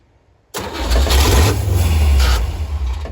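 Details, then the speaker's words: 1957 Chevy wagon 283 V8, off road 30 years, throttle held open while fuel is poured in the carb: catches abruptly, runs rough a couple of seconds then sags; owner thinks it needs more fuel, also suspects ignition loss. "I think it just needs more fuel. Keep pouring it as it's running."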